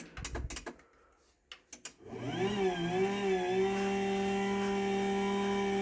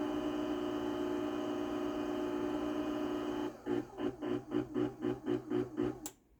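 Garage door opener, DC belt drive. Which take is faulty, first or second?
first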